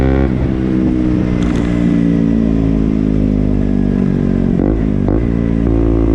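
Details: KTM Duke single: runs steadily with constant mechanical clatter over exhaust note through light revs; source unknown; engine clatter.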